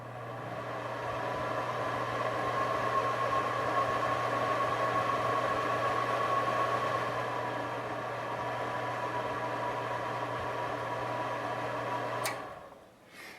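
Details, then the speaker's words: Replacement blower fan installed in a Napoleon 1100 fireplace insert via the rear firebox access door: smooth, even low hum with soft airflow hiss, no rattle or wobble; running normally. "And there we go. All installed. Fan is running."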